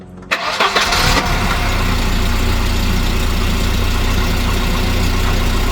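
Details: 1987 Volvo 240 GLT redblock engine after exhaust downpipe replacement: starter cranks briefly, catches within a second, steady even idle with no loud blowing; normal start, slight leak possibly remaining at a rear joint.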